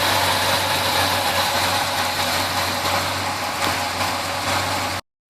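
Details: 350 V8 in a 1971 Chevelle after misfire fix (wet number one plug, carburetor parts swapped and readjusted): idles with a steady, even hum, no stumble or miss, running normally.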